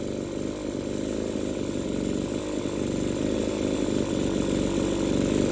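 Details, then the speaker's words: Two-stroke hedge trimmer with burnt piston and no rope-pull compression: raspy buzz that won't settle at idle, surging and hunting, then screaming at full throttle; fried, scored piston losing compression. "It will not stay idling. I'm going to give it full throttle and just listen to it scream. It surges when it idles."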